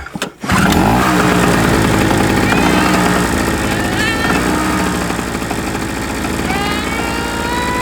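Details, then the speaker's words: SIP Medusa T951 two-stroke generator, no load connected: quick start, then even steady buzz with no surging or misfires; running stable. "it seems to be pretty stable to me especially now that's on there like that"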